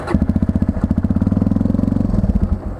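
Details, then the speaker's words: 1999 Yamaha TTR 250 single-cylinder: fires fast then the beat slows and stumbles until it dies after about two and a half seconds; owner suspects carb tuning or the throttle return not holding. "it just keeps dying yeah here's tubby you can hear it wants to die I don't know what is wrong with the maybe my tunings off maybe my auto returns off"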